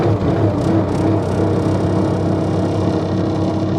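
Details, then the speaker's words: Bobcat T190 diesel skid steer after repair (broken rattly fan drive repaired, new alternator belt, coolant, temperature sensor): even, steady running with no rattle or knock; sounds much better without the fan drive rattle. "Boy, it sounds so much better not having that rattly fan drive."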